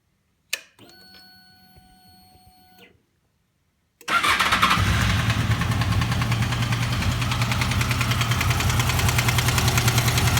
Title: VFR800 engine knock when cold